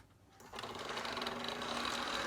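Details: 1955 Lionel 736 Berkshire O-gauge locomotive after tear-down and re-lube, running on short track: steady even mechanical whir and fine rattle builds and holds, no knocks or catches; runs smoothly.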